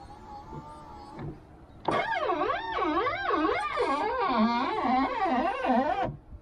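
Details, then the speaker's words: Car power window motor after WD-40, silicone grease and rubber refresh on seals: warbling squeal rising and falling through full travel, like glass dragging; suspected worn top rubber seal, may need replacing. "still sounds like the rubber to me at the top i don't know what you can do other than replace this i guess"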